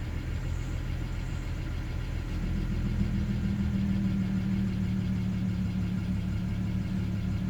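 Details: BMW E90 335i on a morning cold start, idle hunting up and down: the note sags, then climbs and holds higher with an uneven beat underneath, from bad fuel injectors 1 and 2.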